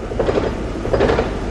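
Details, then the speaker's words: Car running with the clutch fully down, strong vibration felt through the pedal. A quick clattering rattle in rhythmic bursts that gets faster with revs, felt through the clutch from the flywheel; owner suspects the dual-mass flywheel: rattle from clutch area. "It gets faster with revs as well. You can like feel the flywheel through the clutch. Yeah. It's so strange."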